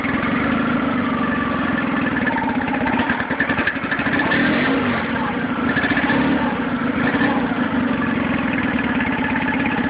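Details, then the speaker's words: Nissan 9.8 outboard on its first start, on cold day, with choke on, started on the third pull, with a clattery, uneven idle surging and sagging every few seconds. Owner suspects it's not warmed up enough or needs off-idle adjustment. Rough idle. "So, started on the third pull. It runs. It's a little rough."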